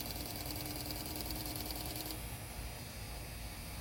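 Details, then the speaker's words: Fuel injector duty-cycle test on a bench rig at about 45 psi, 50% duty cycle: fast, even buzzing chatter over the rig's hiss, about two or three pulses a second. It delivered 33 cc. Normal injector pulsing. "Okay, part 2, record the volume. I did 33 cc at 50% duty cycle."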